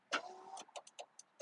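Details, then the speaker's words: 2004 Ford F-150, left rear power window after the truck sat three days under snow and ice: the motor hums in short bursts with clicks between, cutting out and restarting; intermittent operation, suspected wiring fault or possibly a bad motor. "now this one just moved do we have a wies shoot now I can kind of hear it I can hear the motor clicking in there whoa oh she's going"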